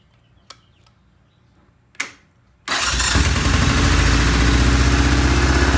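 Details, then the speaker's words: Vintage British twin motorcycle on first start: fast steady idle at about 2,000 rpm despite fully released throttle tension, idle screws fully out, throttle clearance to spec. Oil flow good and ignition timing checked. "all right I've done the first start the bike is idling at 2,000 rpm I have completely released all the tension on the throttle"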